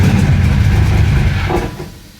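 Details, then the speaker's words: Flooded 1966 Chevy Impala V8 after full fuel system replacement: deep uneven rumble sags and fades as throttle closes, stalling at idle; same problem as before, owner says not fuel related, suspects cylinders 4 and 7. "if I hold my foot on the gas she'll run not happily but she'll [Music] run and then as soon as I let off it it's it's instantaneous man she dies immediately immediately"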